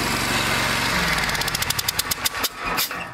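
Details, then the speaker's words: Exmark mower engine runs okay, but when shut off sharp hissing chirps pulse out with each slowing compression stroke: an externally blown head gasket. "That's a blown head gasket. That's what you got. A blown head gasket. So that head gasket is what's called externally blown because you can hear the noise it's making."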